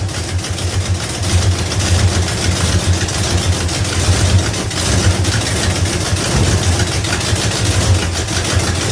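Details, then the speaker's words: 1971 Dodge Demon, rebuilt 1974 318 V8 with 1967 273 heads, new cam (484 lift), Edelbrock intake, Holley 750, stock 904 transmission; cold start showing steady deep V8 idle with sharp puffing tick each firing pulse: header gaskets leaking. "I do have headers are leaking."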